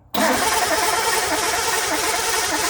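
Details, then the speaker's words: Rough, uneven chuffing turnover that never runs cleanly; no-start because the distributor points arm grounds and kills its own spark. "um but it wasn't showing it killed its own spark here right so try again foreign the spark is going away crank"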